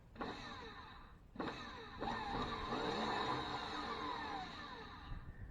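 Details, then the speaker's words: 1973 Ford F350 dump truck starter: two bursts of high whirring with no cranking thump, no Bendix engagement heard. The starter spins free of the flywheel. A bad starter is suspected, not confirmed. "I think we got a bad starter because I don't hear the bendex flopping out to catch the fly wheel"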